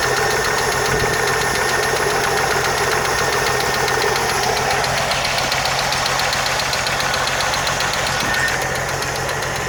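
Steady idle with a fast, light tick riding on top, roughly three to four per second; a valvetrain-type tick, cause not pinned down.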